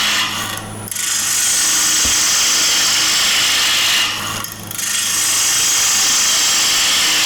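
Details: Bowl gouge cutting the outside of a square-edge bowl with the bevel rubbing: a steady hissing shear with a regular pulse from the spinning square corners and brief pauses, so this is a clean, well-presented bevel-rubbing cut.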